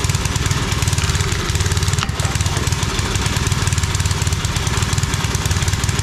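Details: Homemade wood splitter with a 5 hp Briggs single-cylinder engine, started without choke after more fuel was added: it putters at a steady fast idle with even firing and no stumbling, running normally.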